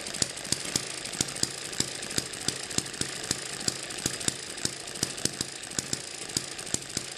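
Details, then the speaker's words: Eachine ET7 (same as M94) model hit-and-miss engine on its original stiff governor springs, running about 1600 rpm: sharp pops fire steadily about three per second with no coasting gaps, overspeeding so it never misses. "that's showing 3200 rpm we divide that by two so this is running about 1600 rpm with the original springs"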